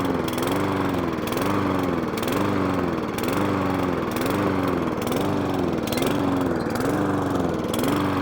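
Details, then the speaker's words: Lawnmower engine restarted after a carburetor clean with the HT lead refitted: small engine running with a steady speed wobble, rising and falling about once a second, hunting and surging; cause not confirmed, may need another carburetor clean. "So, we're getting there. It's now staying running, but I've got a hunt and surge."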